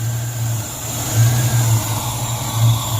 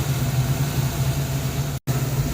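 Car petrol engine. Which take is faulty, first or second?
first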